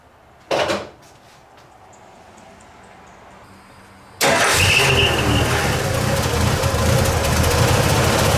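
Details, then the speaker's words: 1985 Ford F150 300 inline-six with new spark plugs: after the starter cranks, it settles into a slightly uneven, lumpy idle, better than before but still not right; owner suspects the carburetor, and a belt is very loose. "well it's a little bit better it's running better than it did when I pulled it in but you can hear that it's still got a and I think it's coming from our carburetor"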